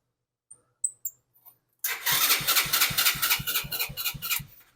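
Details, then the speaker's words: Go-kart with Chinese engine, hot-wired after the key switch was lost, now being rewired: starter cranks evenly at about four compression pulses a second but it won't fire; spark and CDI box still to be checked. "well it turns over so that's a plus now we got to see if it has spark"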